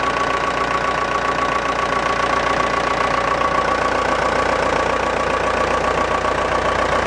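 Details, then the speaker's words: Massey Ferguson Super 90 tractor, Perkins diesel, first test run after new head gasket, planed head, new fuel shutoff valve and rubber fuel line; even steady clatter about 220 beats a minute, no misses or knocks; normal diesel idle. "I'm gonna give it a try hopefully there isn't too much air in the system I did bleed it initially but okay a little bit of throttle"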